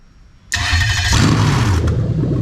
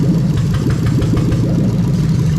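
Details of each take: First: Toyota Sequoia 2UZ-FE non-VVT-i V8 on a rebuilt manual harness with remapped ECU; the ECU-controlled starter is triggered by a brief 12V signal. A short crank, an instant catch, then a strong, steady, even idle. Normal start; coolant later about 81°C. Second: Toyota Sequoia 2UZ-FE non-VVT-i V8 on a rebuilt manual harness with remapped ECU, idling while injectors are unplugged one at a time: an uneven, stumbling beat from a dead cylinder. Deliberate misfire; the slight occasional hesitation otherwise was judged harmless, possibly over-fuelling.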